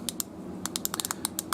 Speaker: This one is a mechanical device, obviously, as you hear the clicking and the gears turning inside.